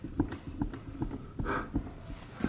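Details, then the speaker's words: Yamaha Wolverine 350 4x4 ATV, wheel rocked by hand: uneven hollow clunks, several in under three seconds, from a loose hub. Wheel bearings judged junk, likely on both wheels; the brakes work. "the brakes work back brake works that wheel is bad is that loose on there i think the bearing's in there junk"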